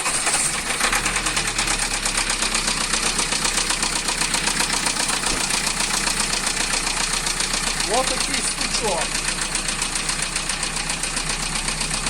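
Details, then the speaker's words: Renault Laguna II 1.9 dCi diesel at idle: steady hard knock about four beats a second over the clatter, near cylinder 1; oil pressure fine; sounds rod-like but mechanic suspects timing belt jumped, checking belt and marks. "я запускаю послухайте і звук такий Ну кажу якийсь цікавий ну похожий до шатуна ну вроді би і не він"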